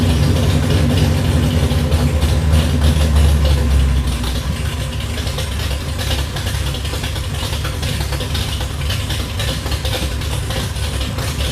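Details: 1966 Plymouth Belvedere I restomod, 440RB V8, 295 degree cam, aluminum heads, tube headers; first run after the build: deep, loping, uneven idle easing down as revs settle from about 1500 rpm toward 800 rpm; normal lumpy big-cam idle.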